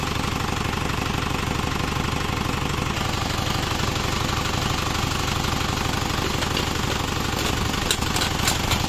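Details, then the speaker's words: Isuzu Panther double cabin diesel after liner work and replacing a leaking injector nozzle copper washer that had caused hissing, cover not yet fitted: steady, even diesel clatter with no hiss; normal idle. "Ini sekarang suaranya Alhamdulillah"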